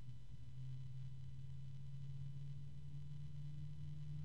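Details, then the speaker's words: ASUS ROG Strix XF120 PWM 120 mm fan on test bench, ramping up: quiet steady low-pitched hum that grows stronger with speed over soft airflow; at max RPM it sounds like something may be rubbing, cause unclear. "there's a low pitch noise that has gotten stronger and increases in"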